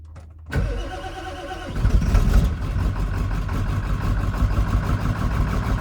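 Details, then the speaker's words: Diesel truck with dual batteries, just charged, with cleaned and replaced terminals; glow plugs warmed a few seconds first: brisk even cranking just over a second, then a rough catch. Starts much better, but it lost prime again; owner suspects a leaking fuel bowl. "Oh, it's much better, but lost its prime again. So I think that fuel bowl is leaking."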